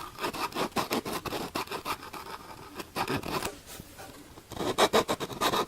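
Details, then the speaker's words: Sony APM woofer with no dust cap: dry, intermittent scratching comes and goes as the cone is pushed in and out by hand, the voice coil rubbing in its gap; blisters felt on the former, the rubbing likely caused by dust or dirt in the coil. "I can do it with one hand, this has some kind of impact here, but if I can move the speaker cone a certain way, I can get it to stop rubbing."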